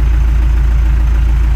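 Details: MTZ-82 tractor diesel, cold, just started with a newly installed warranty-replacement 4 kW gear-reduction starter, holds a deep, steady chug at idle with an even low thrum and no knocks or misses. Normal idle.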